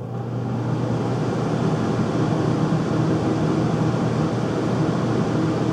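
A constant loud rumbling hum with a rough, airy roar over it and no change in rhythm; the furnace runs noisily, cause unclear.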